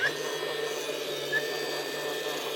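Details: DeWalt DCN660 cordless nailer that won't fire: a steady high electric whir from the flywheel motor, which the trigger starts in bump mode, with no firing snap. A broken driver blade or pin was suspected before disassembly.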